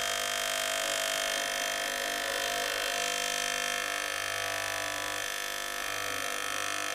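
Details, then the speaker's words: Gaggia Cubika espresso machine that heats and pumps but delivers no water or steam: constant harsh buzz from the solenoid pump with no water flow and no suction. The pump is running dry and has lost its prime. "It appears that we're not getting any suction. This has a solenoid that I think just goes in and out and attempts to push the water through in like tiny stages into here."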